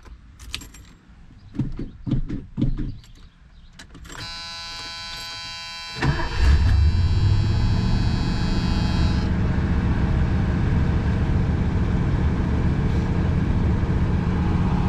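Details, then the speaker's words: 1977 Ford LTD with new dual Magnaflow exhaust replacing a leaking single exhaust, cold weather start: a few clicks and cranking whir, then catches into a deep, steady, even idle with full exhaust rumble; healthy note. "there's a new exhaust right there I don't know if you can really see that but goes all the way to the back and it's dual so sounds really good"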